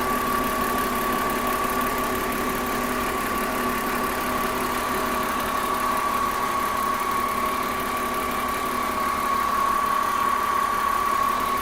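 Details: BMW M54B30 petrol engine idling steadily with a light, quick ticking rattle, about three ticks a second, over the hum; cause unknown.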